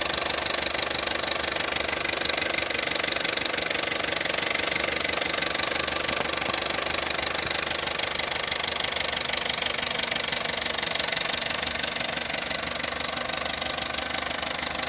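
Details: Opel Corsa D 1.2 Z12XEP petrol engine at hot idle: busy, steady, fast metallic rattle, only when fully warmed, near silent cold; suspected timing chain noise, unconfirmed.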